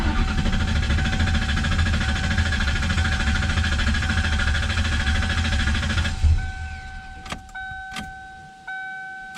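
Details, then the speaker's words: Coyote-swapped Foxbody Mustang after replacing the failed fuel hose inside the tank: engine rumble settles and the fuel pump whirrs on and off with the key; normal start and idle, fuel pressure then 60 psi. "Aha! Sounds like she's supposed to. Let's double check fuel pressure."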